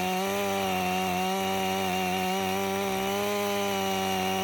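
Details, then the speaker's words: Stihl MS 500i chainsaw, 62 hours, warm, cutting frozen wood with freshly sharpened chain: steady high buzz, slight wavering in cut, no stumbling; running properly. "I think we got her. That saw didn't give me one hiccup outside this time. It runs excellent."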